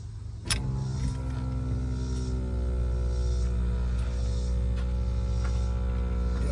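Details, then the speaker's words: Demco Stay'n Play Duo supplemental braking system on a flat-towed 2019 Jeep Cherokee: breakaway switch pulled, small air pump runs with a steady even hum, no strain or rattle, and brake pedal depresses; working normally. "you can hear it and you can see it's depressed and that means the system is working"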